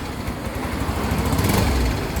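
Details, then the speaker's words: Yamaha Mio i125 scooter that is hard to start runs unevenly with a stumbling, shaky beat, misfiring; the throttle body is dirty and gets cleaned. "halong gig parang nanginginig palado palyado siya yado talaga"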